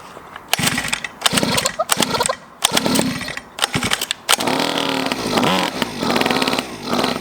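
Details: Cheap Chinese 50cc two-stroke pocket bike, just got running, choke direction changed so it moves under its own power: buzzy note revving up and dropping back in short bursts, picking up cleanly each time; running fine.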